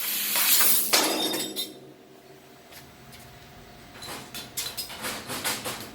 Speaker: But you hear the nitrogen. We're cutting with about 220 psi of nitrogen there, and you can see those quick acceleration and rapids as the machine's moving back and forth.